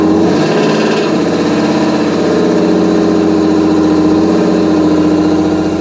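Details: 1992 Mercedes 600SEL V12 on a roughly 100-degree day, no smoke: the engine runs with a lumpy, wavering beat that sags as if to stall; it runs on cold start but idles near 230 rpm. Cause not confirmed.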